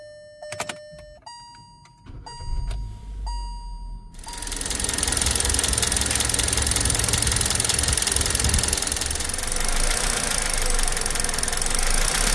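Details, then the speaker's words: 2018 Kia Rio 1.4 Kappa G4LC, 110,000 km, warm engine: after dash chimes engine catches and idles with quick light tapping; knock from hydraulic lifters, to be replaced. "жалобы клиента есть посторонний стук при нагретом двигателе на данных моторах установлены гидрокомпенсаторы будем их менять"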